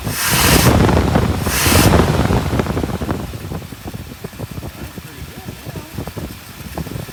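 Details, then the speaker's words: 1959 Buick with crank-no-start and weak spark, two coils and two switches in the ignition wiring, running after switching to a different coil: gusty start settling into an even, steady idle with no misses or knocks; normal idle. "well she's running so switching apparently go to different coils"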